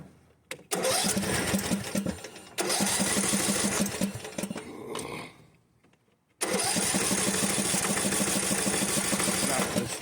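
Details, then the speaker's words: Briggs engine mower, just bought, three bursts of steady starter cranking but never catches; owner points to the fuel solenoid, checking for its click with the key, as first suspect. "it's not turning on so first thing first if your mower doesn't turn on I'm going to show you guys this"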